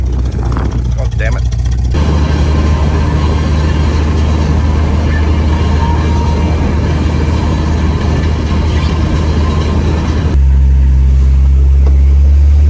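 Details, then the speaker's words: 1968 Jaguar 420G automatic transmission after reinstallation, in Drive: engine drones then revs flare with no gain in speed; transmission slips and loses all drive after a few kilometers, preceded by a whirring, until restart. Owner suspects a blocked or sucked-in filter. "so I'm in I'm in drive now and it's just it's just it's just revving until I stop the engine and then restart it and then it'll be fine again so as you can see not gaining any speed it's still in D"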